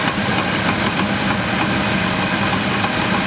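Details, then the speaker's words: GMC Jimmy 4.3 L V6 Vortec, cold start just after starting, days after a drive belt replacement, fresh oil: rapid metallic "den-den-den" knocking in periodic bursts then quiet; owner suspects hydraulic lifters, unconfirmed. "Звук такой вот ден-ден-ден-ден-ден пропал. Ден-ден-ден-ден-ден. То есть не постоянный какой-то цокающий, а какой-то с периодичностью."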